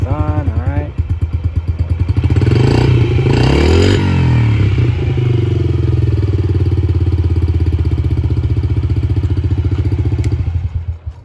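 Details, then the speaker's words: Yamaha TT-R50E kid's bike with electric start, previously barely starting and not idling, after carburetor cleaning with choke off and battery charged; small single runs evenly, rises with throttle blip, settles to steady healthy idle. "battery's fully charged sounds like it runs pretty good going to pop it into gear"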